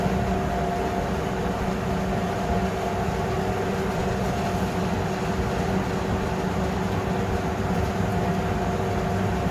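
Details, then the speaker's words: Fisher and Paykel dryer after motor capacitor replacement, drum running in reverse direction to check for squeaks: smooth even hum and rumble, steady drum roll, no squeak or chirp; normal. "That sounds really good. We'll just wait, and well, I'll just wait, and this will eventually stop and it will go the other way, and we'll see if we've got any squeaks going the opposite direction"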